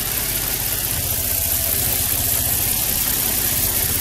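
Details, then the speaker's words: 2003 Nissan 350Z with P0300 random misfires, cylinder one, after manifold, cam sensor, coil and plug replacement: rapid puffing tick over steady idle from underneath, leaking test pipe just before the O2 sensor; exhaust leak, owner suspects it causes lean misfire. "tighten these bolts up or maybe a gasket in between the test pipe is burned up - that's a possibility you can hear it the noise comes from down here"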